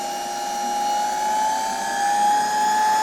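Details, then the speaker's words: Electrolux V vacuum cleaner, probably 1924, after fitting a donor stator and rotor and new wiring, test-run via autotransformer with earth wire unconnected: smooth steady motor whine at constant pitch with airflow hiss, no rubbing or rattle; runs normally. "Autotransformator jest już zasilany. włączę i zobaczcie odkurzacz rusza"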